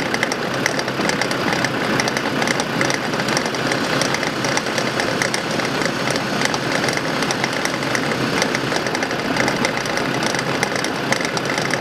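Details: 2005 Land Rover Defender idling with a dense, dry crackling/clicking from a worn right front wheel hub bearing; the hub still turns normally, and the hub bearings are to be replaced.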